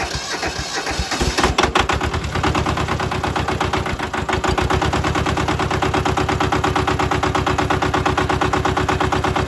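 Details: Mitsubishi MT372 diesel ride-on mower, auction-bought with some problems, modified dash so glow plugs not usable, new car battery: small twin diesel catches and settles into steady even clatter, no misses or knocks; normal idle.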